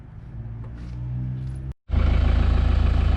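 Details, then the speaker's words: 1977 Sigma Lancer, first start attempt after front-end reassembly: steady low chugging about three and a half beats a second, engine turning over but never catching; hard start, owner suspects a loose earth inside the distributor. "okay while the camera was off had to fix up a on on my distributor there was a bit of a loose earth or lose grant inside it"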